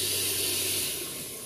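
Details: Honda FD 1.8 VTEC with hard starting, fuel gauge test with pressure not holding: steady high-pitched spray-like hiss fading as pressure bleeds down; fuel escaping inside the pump.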